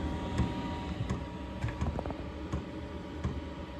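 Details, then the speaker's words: Diesel heater in insulated shed, fully warmed up: soft slow fuel pump ticks about once a second over quiet background hum; normal metering once warm. "yeah now that it's warmed up it's just a very slow click as you can hear"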